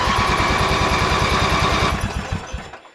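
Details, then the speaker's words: Riding mower with a 44-inch deck and a 3-gallon rear fuel tank, unused for a long time. Choke on, some throttle: steady starter cranking at about three turns a second with no firing, then winding down. Crank in bursts to get fuel to the carburetor. "So we'll give it a choke, give it some throttle, and hit the starter."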